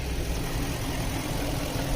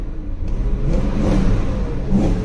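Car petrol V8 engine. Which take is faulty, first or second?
second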